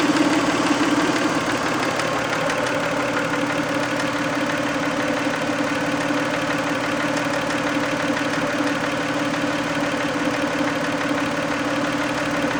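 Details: 1990 Toyota Camry 2VZ-FE V6 idling warm after a 15-minute drive: light, fairly regular tapping knock about twice a second over the running engine; knock later fixed itself, owner guesses sludge/varnish on a shim/bucket, unconfirmed.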